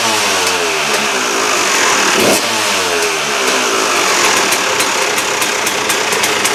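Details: KTM two-stroke after replacing the damaged reed valve: crisp, even buzz rising and falling cleanly with the throttle, no misfire or stutter; sounds much better than before the repair, running healthy.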